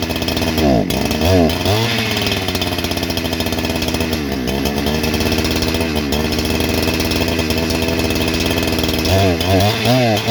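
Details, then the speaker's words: New Holzfforma G288 88cc chainsaw (Husqvarna 288 copy) with 24" bar, first start: revs hunt up and down and it won't take throttle. Caused by an air leak at the clutch-side crank oil seal, later cured by tapping the seal. "that's an odd way to run well that didn't uh start it up good but uh almost as soon as i tried to give it some throttle the damn thing just won't even try"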